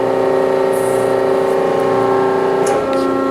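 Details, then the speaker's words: Kennametal Extrude Hone EasyFlow 200 abrasive flow machine in manual mode, top cylinder advancing and retracting: steady pump hum with pitch shift and brief hiss at each stroke; hydraulics healthy. "And same thing, although you can't see, you can hear it. Here's top cylinder advancing and retracting."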